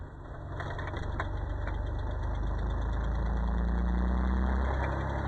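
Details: 1994 Nissan Pathfinder SE V6 4x4, 5-speed manual, in 2nd and 3rd at about 1200–1500 rpm under light load: faint regular gearbox rattle; owner suspects a bad input shaft bearing, possibly low oil.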